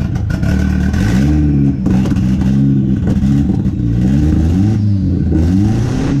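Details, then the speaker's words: Built Nissan KA turbo (KA-T) with Pulsar PTX 30 series turbo, first start after nearly two years sitting, during fuel tuning: deep uneven revs rise and fall with a stumbling edge that clears a little on each blip; still running rough. "so for a little backstory right here what I'm doing is doing a little bit of fuel tuning trying to get it's a clear up so just lay out and listen you can hear it clear a little more each time"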